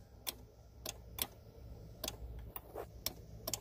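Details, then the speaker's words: Kia Soul starter circuit test with a test light: rapid, uneven relay clicks, roughly two a second, with no cranking; power reaches the starter, so the starter motor has failed. "you can even hear the relay clicking so we have a bad starter"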